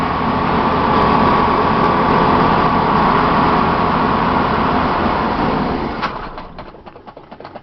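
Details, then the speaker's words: 1989 Ithaca Suncruiser 31ft motorhome, Chevy 454, 28,000 miles, sat about six months, jump-started from battery box: catches, runs evenly about five seconds, sags, stumbles and dies, as it did last time. Owner wonders fuel pump, bad gas or filter. "that's the same thing it did last time it died on me and then it would and start again"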